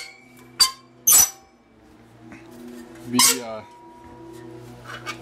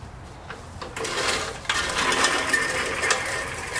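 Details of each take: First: Roadside-found manual reel mower spun by hand on the bench: thin metallic squeaks and clinks where the reel blades rub the bedknife; fixed by backing the bedknife off with small adjustments. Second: Roadside-find push reel mower after adjustment: light, even whirr of the reel with soft clicking as it turns and no squeal; the cutting reel is now properly set.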